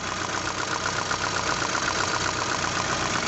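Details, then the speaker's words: Volkswagen Saveiro slow to start, engine running: rough idle with a fast uneven ticking snap about twice a second; spark jumping because the spark plugs were loose. "y nos venimos al motor y si se dan cuenta se escucha como si estuviera brincando la chispa"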